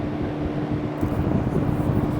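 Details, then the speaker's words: Vintage Robeson Kool One box fan after teardown, cleaning and reassembly, switched to medium: steady low hum, air rush strengthening with speed, no rattle or scrape; runs smooth and powerful. "Yeah. Medium. Well, that's pretty powerful."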